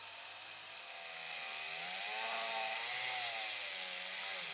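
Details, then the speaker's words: Dremel rotary tool polishing a plastic gauge lens under moderate pressure: a high steady whir sags in pitch under pressure, then recovers, since the Dremel lacks fine speed control. Normal motor slowing under load. "can hear the pressure that I'm putting is actually slowing the motor down, because there's not that good of a control on a Dremel as far as real fine RPM adjustments with like a potentiometer."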